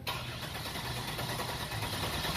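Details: 2000 Nissan Maxima with an intermittent crank/no start and a suspected starter fault. A comparison car cranks in clear-flood mode during a scope test: short, even, steady starter cranking with a consistent rhythm and no dragging or clicking. Normal cranking.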